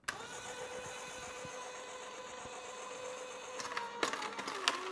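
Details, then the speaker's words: A cheap copycat vertical slow juicer (compared against a Sana 808) is started and fed carrots. A steady electric motor hum with crunching as it takes load; the motor slows down under stress, and the blades later jam. "Notice already we know how this handles stress, it slows down."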